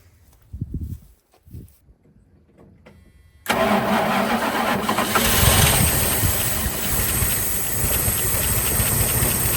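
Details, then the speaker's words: 1980 Dodge Power Wagon W300 1-ton 4x4 truck sitting for years, engine unknown, battery connected, pre-mix gas poured down the carburetor: short cranking bursts then it catches abruptly and runs loud and ragged on poured fuel, exhaust heard. "Look at that. Yeah, I thought I heard the exhaust. My lord. That's like it blew up."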